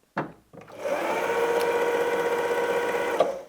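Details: Vintage Pfaff 260 sewing machine driven by pedal: smooth, even hum with steady stitch patter at constant speed; normal running.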